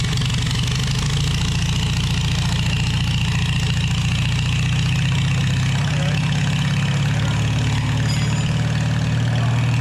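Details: 1949 Farmall H tractor after sitting for years: low steady drone with a rough churning growl underneath. Rear end was low on gear oil, causing the noise. Owner had suspected rust or something stuck at the always-spinning input shaft. Diesel was then poured in to flush it.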